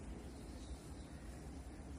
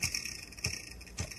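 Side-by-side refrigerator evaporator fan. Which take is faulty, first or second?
second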